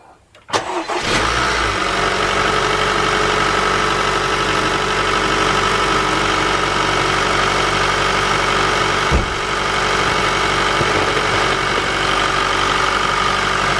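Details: Honda engine cold-started with no preheating, after cleaning the oil filter screen feeding the VTEC: catches after short crank into an even fast idle, the cold knock is gone, normal cold start.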